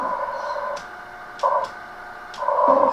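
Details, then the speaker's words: 1966 Midland 13-133B two-channel 2-watt 27 MHz CB handheld on a vertical antenna: steady buzzing hash with tonal bursts through the receiver, interference suspected from nearby lights. "picking up all these lights in here create a lot of noise this does or not"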